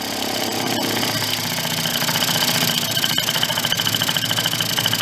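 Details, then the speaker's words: 2004 Yamaha Vino 50cc two-stroke scooter just revived after years in a barn, warming up: buzzy idle that hunts and pulses unevenly, growing louder. The air cleaner is removed and the air-fuel mixture is not yet adjusted, so the idle is unsettled. "running we don't have the air cleaner on either so that's going to kind of throw it off a little"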